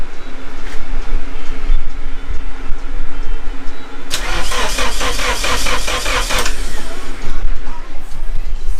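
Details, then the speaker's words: Rebuilt Nissan KA24DET engine, cranks but won't start: the starter spins in an even rhythm for a couple of seconds but it never catches. A spark test on the cylinder one plug wire shows still no spark; the distributor and coil connectors have been tested. "we still don't have spark okay all right so it's dark already um hopefully i found the problem but um didn't get sparked earlier"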